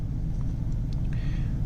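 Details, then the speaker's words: 2002 Mercury Grand Marquis V8 with Landi Renzo LPG system and Flowmaster Cherry Bomb mufflers, idling, LPG not yet engaged and fuel low: low, steady, even rumble with no knocks or misses; normal engine running. "can hear this is normal engine running you can't hear the injectors there they are pretty loud"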